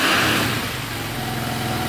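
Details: KTM 450 single-cylinder dirt bike, likely dual sport, just after carburetor fix: quick blip settling into steady, even idle, no misses or hunting; owner suspects one-way bearing for a click at shutdown; normal idle.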